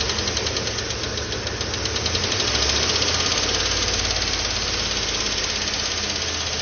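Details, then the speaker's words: 2012 Chevrolet Tahoe petrol engine at idle: rapid light lifter ticking, about three to four per second, over a steady idle that fades when revs are held up, indicating a weak oil pump starving the lifters. "بدا يختفي خلاص الحين ما في صوت ولا شي هذا يدل على طرمبه الزيت ضعيفه"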